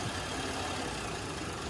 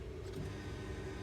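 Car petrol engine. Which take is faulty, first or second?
first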